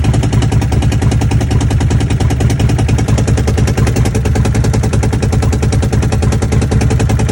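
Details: Commander with uneven low popping chuff about three beats a second, choppy rather than smooth, like it is stumbling and dropping a cylinder; owner suspects a misfire, not confirmed.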